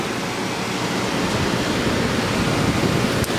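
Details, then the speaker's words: Early-1960s Philco Noiseless unit, about 60 years old, after replacing its two run capacitors: steady airy fan rush with even low hum underneath, no rattles, buzzing or cycling; unit running perfectly. "anyway obviously the restoration's not done but this unit is now running perfectly"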